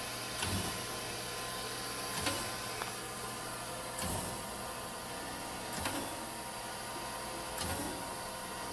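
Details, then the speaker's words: Chevalier FSG1632AD-II surface grinder after rebuild, in automatic surface grinding mode with auto downfeed: smooth steady run with a soft thump about every two seconds at table reversal, normal even grinding cycle. "Right now it's in automatic surface grinding mode. Standing back here so you can see it move. All the increments and everything are changeable."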